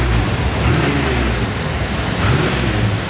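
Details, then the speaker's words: 1982 Corvette Collector's Edition, all original, 52,910 miles: started and revved, a deep, steady V8 rumble that swells with throttle and settles evenly, no knocks or misses; the engine sounds healthy. "But I do want to fire it up for you because these cars still sound great."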